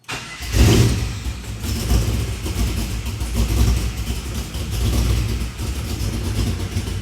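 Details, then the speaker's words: 1967 Chevy C10 with LS1 swap, after switching to a new keyed 12-volt source live during cranking: fires right up with a quick rev, then slightly wandering but steady idle; normal start and idle. "Got a new keyed 12vt source. That's on when it's cranking."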